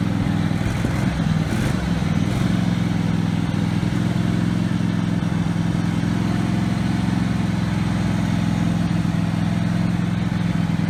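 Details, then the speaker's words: Husqvarna 48 GLS lawn tractor engine, the engine having raced out of control before: the single cylinder thumps at a steady, even speed with no hunting, held by the high-speed spring and the idle screw setting. "So you can see it was surging, and yeah, it's because the spring's just, it's not appropriate. I did set the idle screw to kind of set the minimum engine speed, but what's happening is sometimes the governor i"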